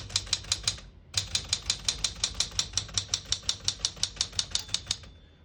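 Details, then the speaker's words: 1973 Smith-Corona Galaxie 12 portable typewriter with 12-inch platen, margins set about 1 and 75, single line spacing: crisp, even key strikes about three a second, then the margin bell chimes near line end before the carriage return; working normally. "Once you hear the bell, you're at the end of the margin. You hit the slide space, gets you back to the beginning."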